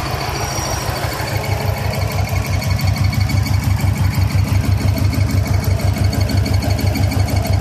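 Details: 2000 Subaru 2.5RS with WRX swap at idle: fairly regular tapping about three times a second, intermittent, seemingly from under the top-mount intercooler; engine-bay tick of unclear source.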